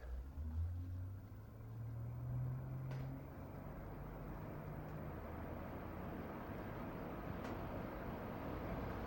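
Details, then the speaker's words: Newly installed library heating/AC unit starting up on the lowest fan setting: a loud low steady droning hum with a fluctuating whoosh. The owner suspects the noise comes from the unit sitting exposed in an uninsulated cavity. "I've just turned on the uh heating AC unit and we're just waiting for it to fire up and I've got the fan setting to the lowest and I want you to hear it because it is noisy."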